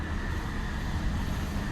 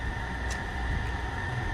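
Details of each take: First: 2020 Infiniti QX60 3.5L V6 idling steadily and evenly after repair: cylinder 2 misfire (P0302) and raw fuel smell gone; cause was a bad fuel injector dumping fuel, not a sludged engine. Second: 2020 Infiniti QX60 3.5 L V6 at idle with cylinder 2 misfire (P0302) and raw fuel smell: uneven, lumpy low rumble. Dealer claimed a sludged engine; the cause was a stuck-open fuel injector.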